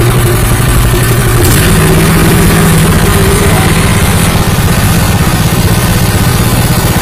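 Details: Honda WL30XN 3-inch water pump driven by a new Honda GP160 5.5 hp petrol engine (3.6 L tank): loud, steady single-cylinder chug at constant speed, no knocks or misses; healthy new pump engine, normal running.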